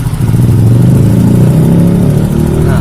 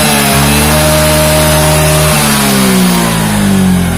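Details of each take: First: Yamaha Mio J scooter engine revs up with a coarse, rattling roughness on the exhaust note that grows louder. The mechanic suspects a worn cylinder block or piston rings, possibly from late oil changes, with thin exhaust smoke and oil consumption. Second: Yamaha Mio J scooter after repair of a rough rattling engine noise traced to the cylinder block and piston, oil level normal; revs up and settles to a smooth, even idle with no knocking or rattling; normal running.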